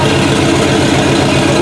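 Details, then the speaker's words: Chopped 1950 Ford Shoebox flathead V8 after sitting 20+ years, now running: steady, even idle with a soft regular beat and no stumble or knock, 50–60 psi oil pressure, no blow-by. Normal idle. "at how smooth that bad boy is"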